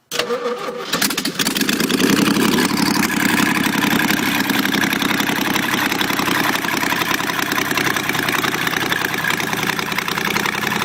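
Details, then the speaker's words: 1971 Jeep CJ-6 with stock Buick 225 engine, hot-wired and run with no exhaust manifolds fitted: catches after a short crank, then a loud, raw, raspy bark at a steady fast idle from the open exhaust ports. "But I did hot wire it, got no exhaust manifolds on it."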